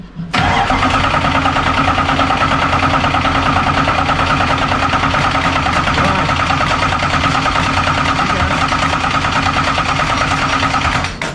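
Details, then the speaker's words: Dirt race car with a newly installed fuel pump, after running out of fuel: engine cranks steadily for about eleven seconds but never catches; the pump is dry and not delivering fuel. "Well, that's gonna turn over for a second. There you go. Huh? Not pumping yet."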